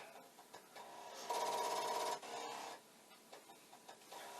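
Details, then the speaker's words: Commodore 1541 disk drive with a blank disk inserted: rapid rattling chatter about three per second with a buzzing tone, the head knocking against its stop instead of settling; drive cannot read. "this is a blank disk this will do nothing except make loud noises"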